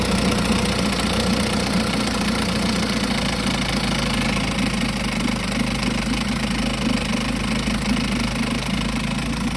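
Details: 1952 Johnson SeaHorse 10hp two-stroke outboard, trash-found, running without carburetor rebuild or new impeller: fast, even buzz at steady speed, no misfires or surging. Runs good; needs only a pull rope, O-rings, possibly a twist grip and a gas leak fix.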